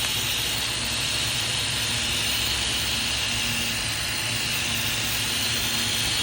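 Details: 2015 Holden Astra 1.6 at idle: steady airy hiss-whistle with rough idle and high long- and short-term fuel trims, from a vacuum leak at the failed PCV valve, which is part of the rocker cover assembly.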